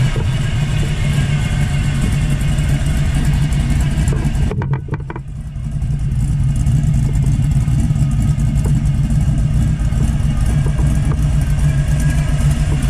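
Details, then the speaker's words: 1979 Camaro Z28, 400+ cubic-inch small-block Chevrolet V8 with Pete Jackson gear drive, after swapping a Flowmaster 40 series muffler for a quieter Flowmaster FX; even, low burble at idle, steady, no drone or rasp; exhaust quiet and healthy. "and then you can see how quiet the exhaust is now so take me a second but we'll uh get anyhow we'll do a quick walk around so you can kind of hear what it's like when it's sitting here idling"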